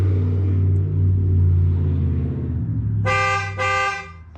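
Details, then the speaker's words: 2011 Ford F150 5.0 with no horn: mechanic grounds the horn terminal past the faulty clock spring and the horn gives two clear, steady half-second blasts over a quiet idle; the horn works, so the clock spring is bad. "what I'm going to do is just touch the terminal and it's going to sign the horn off."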